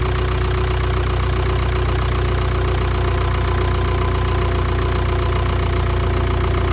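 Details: 2010 Jeep Patriot 2.0 CRD (VW 2.0 TDI PD), first run after low oil pressure fix replacing oil pump drive, new oil filter and oil; steady, even diesel clatter with smooth low rumble, no knocks; normal idle.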